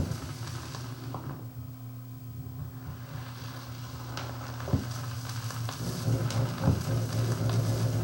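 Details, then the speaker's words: Thorens TD 165 belt-drive turntable, steady low droning hum with light crackle through the stylus; motor pulsations carried through the belt into the platter and picked up by the stylus. "the noise is actually being transmitted from the motor and I can actually feel I it's like a stepper motor almost if I stop it I can feel pulsations that's being picked up"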